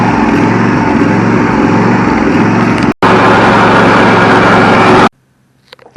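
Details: Craftsman 9000 V-twin riding mower after replacing the carburetor with a parts carb, fixing two missing bolts and a missing ground, and jump-starting with a borrowed battery: steady, even fast idle with no misses or knocks before shutdown; runs healthy.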